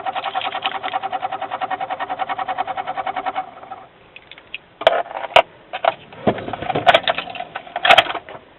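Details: Truck on a battery charger won't start; gauge needles chatter while cranking is attempted, with fast even clicking about seven per second for three seconds, then dying away with no engine catch; no-start with rapid clicking, cause unclear.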